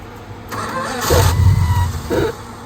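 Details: VG Valiant Regal hardtop, stone cold after years unused, rocker cover off: starter cranks and engine catches with a brief rough cough and splutter; an odd noise is heard during cranking, cause not yet identified.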